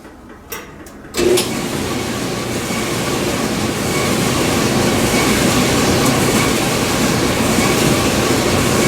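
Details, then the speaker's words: 1982 Kenmore 110.86171 dryer on air-fluff test run after replacing motor, belt idler and rear drum seal, which had squeaked as if seizing; drum builds to a steady, even rumble at full speed, no squeal or thumping, running normally. "Seems to be working."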